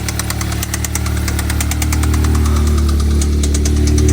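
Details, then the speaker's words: Stage 2 Mk7 VW Golf R after sitting a while, suspected bottom-end damage, possibly low oil or oil pressure from previous owners: sharp steady knock three to four times a second over a rough low idle; engine knock, new engine likely. "so so yeah definitely a bad knock knocking sign from the engine um it's just a the but yeah definitely a new engine job"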